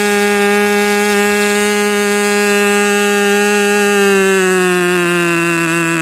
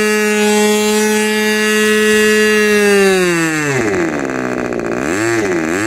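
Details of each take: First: Rebuilt K&B 40 #4011 model engine (new bearings, ring, gaskets, hand-honed cylinder), 10% nitro fuel with 4% castor, 10x6 prop, about 12,300 rpm; steady high scream that sags and drops pitch; running rich, new ring not yet seated. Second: Rebuilt K&B 40 model 4011 glow engine with new bearings, ring and gaskets, on 10% Coolpower plus 4% castor and a balanced Master Airscrew 10x6 prop; the exhaust leaks at the muffler. A clean, steady full-throttle scream near 12,800 rpm, then smooth needle changes; healthy high-rpm run.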